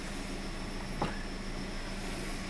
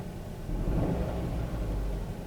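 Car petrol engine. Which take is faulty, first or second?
second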